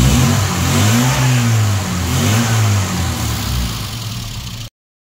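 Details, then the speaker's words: Mini with Swiftune-built 998 engine after tuning: carb swapped for a rebuilt one, needle profiled; catches cleanly and revs smoothly with no misfire or stumble, normal start and rev. "we're now running a 530 in this car and I think it sounds uh pretty good all right so fire up gra [Music]"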